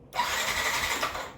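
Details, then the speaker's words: Yamaha NMAX V1 scooter, not run for a month, no check engine light, battery 12.2 V, push start pressed: brief starter whir about a second that never fires; cranks but won't start, later traced to a clogged fuel injector. "Tapos kapag pinindot natin yung push start tsaka brake light ayaw mag-start yung motor."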